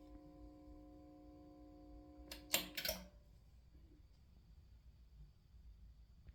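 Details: Goldmund Telos 300 power amplifier with severe hum, far worse than expected: a steady, buzzy hum of several stacked tones until a few clicks silence it.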